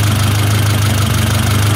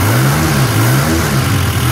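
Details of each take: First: 1972 Toyota Celica 18RC with Weber 32/36 carburetor, after valve adjustment: idle mixture screw backed out, low idle with slight uneven pulse and wavering rhythm, still a bit too stumbly. Lean idle stumble, screw turned back in a little. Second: 1972 Toyota Celica with an 18RC engine and Weber 32/36 carburetor, after a valve adjustment and idle-screw adjustment (idle was about 1000 rpm). Repeated throttle blips rise and fall cleanly with no stumble, and it sounds like it's breathing right. Valve train tick is noted afterward.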